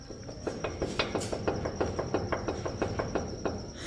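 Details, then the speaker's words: Chevrolet Colorado pickup, removed ball joint worked by hand: sharp creaking clicks, about three a second; worn, damaged ball joint. "Así suena una rótula dañada. Imagínensela ya en el camino que ustedes van."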